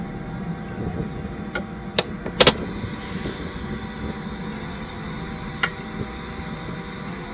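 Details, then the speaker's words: Casablanca MC68060 computer (Amiga-like) booting from cold: faint steady whir with sharp seek clicks as the hard drive spins up and reads; normal startup, with the floppy ticking heard at boot. "O, jak widać dysk pracuje, sprzęt się uruchamia."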